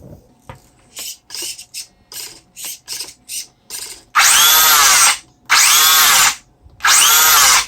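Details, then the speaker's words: Traxxas Bandit VXL RC buggy after repair and replacement of missing parts, final check with the battery half inserted. Short blips, then one-second bursts of high, even whirring with no grinding or clicking; it runs normally. "Yep, still perfect. This is an amazingly powerful little RC for its size and weight."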